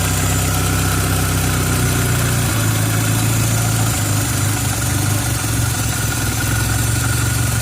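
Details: 1990 Toyota Celica Alltrac (ST185) with new plugs, wires, cap, rotor and fuel filter: low drone wavering after a few seconds, unstable idle close to stalling; dies on throttle or at about 12–13 inHg vacuum; vacuum leak suspected, not found.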